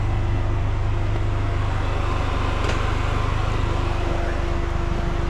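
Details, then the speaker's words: Polaris Slingshot idling before an oil change: steady whooshing drone with a faint hum, louder than owner likes, likely the cooling fan; owner also hears possible rattle or something broken underneath. "Not particularly liking the sound of that fan. I guess it's I guess it's all right."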